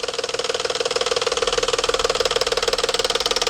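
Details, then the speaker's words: Cold morning idle: sharp even knocking about four beats a second, louder than and unlike valvetrain tick, stops suddenly as phaser spring catches up; bad cam phaser. "Cold, it'll just start tapping. All right. Y'all hear it? Y'all hear that? Ladies and gentlemen, that is not a Valvetrain ticket noise."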